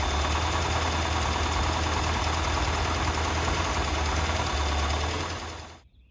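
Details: 1988 Lotus Esprit, first start after sitting, hot-wired with new injectors and plug wires: lumpy, uneven idle with a wavering low beat before it dies. Smoky, likely from WD-40 in the cylinders; air-fuel mixture is off.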